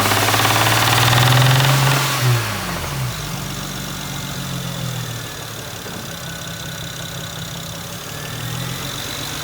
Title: The sound of ROD KNOCK from SPUN ROD BEARING